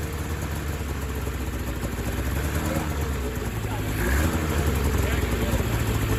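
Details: 2000 Ski-Doo MXZ-X 440 two-stroke race sled, first running after fuel system flush and water pump repair, airbox off: uneven burbling idle that stumbles and wanders; owner suspects it's a little fat, loaded up at low end, tuning to wait for cold weather.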